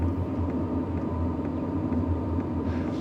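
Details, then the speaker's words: BougeRV portable diesel heater on low setting after startup; steady fan rush with faint soft fuel pump tick about twice a second, audible though not loud; running normally. "The fuel pump, I can hear it. It's not loud. And honestly, this being outside of the Gladiator and me being up in the tent, I'm probably not going to hear it. But you can hear it."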